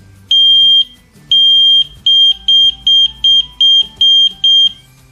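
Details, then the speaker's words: ELRO Connects water leak detector being paired by bridging its two bottom metal contacts with fingers: sharp high-pitched beeps, two long then seven short about a second apart; normal pairing alert. "Ik heb het met mijn twee vingers verbonden en dan hoort u het piepje al."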